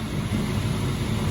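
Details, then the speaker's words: Whirlpool range hood fan on its third, top speed, described as really loud and never needed: loud, steady low rushing roar with no rhythm, rattle or scrape; fan running smoothly. "You never need 3, it's really loud."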